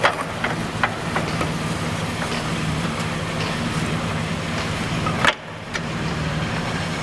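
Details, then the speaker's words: 2004 Ford Explorer Eddie Bauer, left rear wheel spun after the wheel bearing replacement: an even, steady hum with only light brake rotor brushing, no growl or rumble. A normal wheel bearing, the earlier noise gone. "the only thing I hear right now is that brake rotor nothing like it was before"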